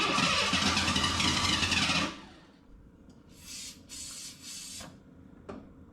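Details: Ford Bronco II, fuel-injected 2.9, sat in a field since 2001, starter solenoid bypassed, fuel pump giving no pressure: starter churns steadily about two seconds without catching, then a few hisses; crank no start, owner suspects the fuel issue.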